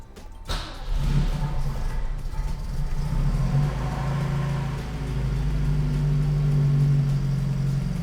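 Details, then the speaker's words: 1974 Audi Coupé S after full engine and gearbox rebuild, cold start with pedal floored to set choke and accelerator pump: cranks, catches and settles into a steady, even fast idle with low smooth drone; normal cold-start fast idle. "so that's at fast idle. Yep. Sounds good. Which is sounds a lot better. Roughly what it should be."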